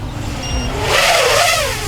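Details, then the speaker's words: HolyBro KOPIS 1 race drone in flight: short high-pitched beeps over surging motor whine, the low-battery alarm, rising in pitch and beeping faster as the battery drains; time to land. "Okay, you hear the battery? What's cool about this one is it has a higher pitch the lower the battery gets. So, you know, you could fly maybe another lap like this. And then when oh, it actually starts beeping faster."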